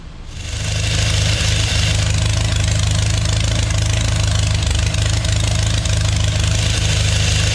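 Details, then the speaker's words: 3.0-liter GM Chevy engine with TH400 in a mini rail dragster, custom intake and exhaust, first start: steady even idle, slightly too high; earlier click traced to alternator fan touching water pump pulley, not valves. "Fired right up. It appears it idles a bit too high though."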